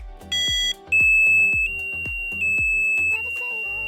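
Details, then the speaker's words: EESENS Guardian alarm, remote device button set to green light: a run of short distinct siren and chirp patterns, each switching abruptly as presses cycle the sounds; alarm sounder working properly; siren tone selection. "Press device button on the remote to select the green light, which play the selected sound. Press again to cycle through."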